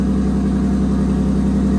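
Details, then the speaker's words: Supra that previously would not start cold, believed to have had low fuel pressure, now repaired with no leaks: it fires right up without hesitation and holds a steady, even low idle with no misses. Normal idle. "Fired right up that time. Didn't even hesitate. Oh my gosh, this is so much better. Before it just didn't want to start on cold. Now it's just right there."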